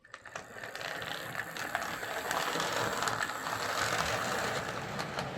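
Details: Hornby R859 LMS Black 5 model locomotive running on the layout after oiling: fast uneven rattle over the gear whirr, about four a second, with lumpy running; owner suspects the front bogie dragging or the loco-tender drawbar, unconfirmed.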